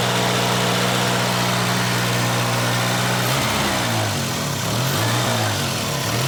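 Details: Volvo 240 warming up on a cold day idles steady and fast and never drops to a normal tick-over: a chronically high idle, cause unconfirmed. The car also has an exhaust leak and a blown top cam seal leaking oil.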